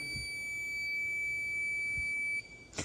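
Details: Mercruiser 3.0 marine engine with a cracked block, being started on a jump pack that turned out dead: a steady high-pitched alarm tone holds for a couple of seconds then cuts off, probably the jump pack's low-battery warning.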